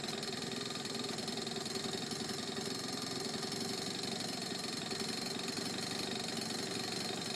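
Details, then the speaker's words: Honda Urban Express NU50 two-stroke scooter after adjusting the air-fuel screw from 2¼ to 1½ turns out and tightening the exhaust at the cylinder: steady, even buzzing idle with no hunting or misses; runs clean. "sounds better so I adjusted the idle air screw the fuel-air screw it was that two and a quarter turns out I put it to one and a half"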